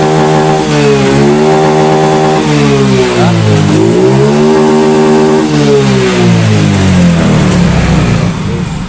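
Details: Yamaha Mio Soul GT fuel-injected scooter, no MIL code showing, throttle test: clean blips with revs climbing and dropping smoothly, no miss or rattle; normal revving.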